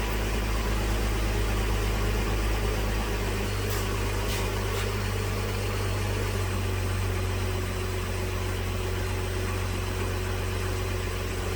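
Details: 2010 Dodge Journey 3.5 V6 after fuel injector replacement for misfire and P0206, codes and fuel trims reset: steady, even idle with smooth low hum, no stumble or misfire, closed loop switching rich/lean; normal idle.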